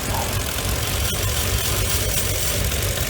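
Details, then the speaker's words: Mercedes W463 G500, rough lumpy idle after throttle-body reset and relearn, no check engine light, P0444 code: uneven throbbing idle with occasional sharp pops and vibration; purge control valve suspected, not confirmed. "so we're gonna start it ticking not the normal valve to the normal sound do that pop up up up"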